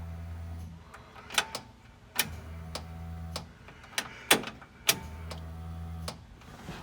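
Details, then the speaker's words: 1966 Mustang, newly installed Spectra EFI fuel tank with in-tank pump (said to be Walbro), first-ever priming: three short, quiet low hums separated by clicks, no whine or rattle; much quieter than the old external pump; normal fuel pump priming. "not that this was super technical but I cannot hear the fuel pump now what's to say if it's louder when it breaks in"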